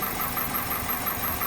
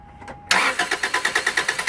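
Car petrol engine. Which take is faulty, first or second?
first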